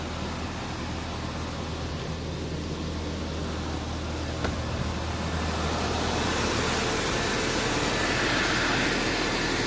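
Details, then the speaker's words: Audi A4 B5 1.8 APT petrol engine idling evenly with no knock after the 3–4 second cold-start rattle from the hydraulic cam chain tensioner after a week's standing; oil 10W40. "это гидронатяжитель цепи лице бьет именно он 3 секунды три четыре секунды и все дальше машина нормально работа"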